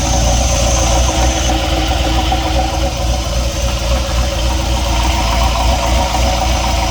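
Deep idle rumble with a regular knock near four per second holding steady throughout; an engine knock of unknown origin.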